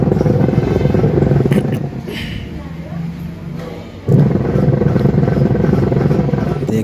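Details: LG washing machine making excessive noise before a gearbox replacement. Loud, rough, rumbling churn with an uneven knocking beat under the wash action, from a worn gearbox.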